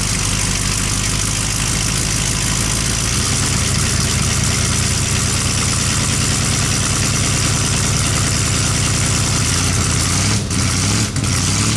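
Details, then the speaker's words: Budget-build S10 engine, first start after sitting 2–3 years and a throttle-body pressure regulator replacement: loud rough idle with fast ticking puffs from exhaust leaks, plus a high steady squeal from the new belt, which shows a worn spot. "Now there's a few exhaust leaks, if you didn't hear it, that I have to go back over. And there is something on the belt I'll show you real quick."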